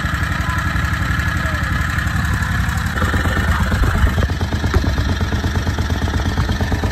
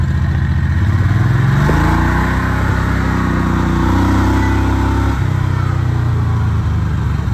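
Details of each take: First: Harbor Freight Predator 670 22 HP V-twin in an EzGO Workhorse golf cart, after turning the carburetor idle adjustment down further (from about 1800 rpm warm): steady, even fast idle at 1100–1300 rpm per tachometer, settling slightly higher midway; smooth, correctly set idle. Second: Predator 670 22 HP V-twin in an EZGO Workhorse golf cart, warm, read on a tachometer: picks up, then holds a fast, steady drone around 1800 rpm, too high (target 1100–1200), making gear shifts hard; carburetor idle then adjusted.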